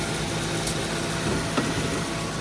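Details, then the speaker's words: 2015 Subaru Forester A/C after relay swap: compressor clutch engaged and spinning, steady idle with even compressor hum, no clatter or squeal; normal compressor operation. "Let's go see if it's spinning. Yes. Okay, it's spinning."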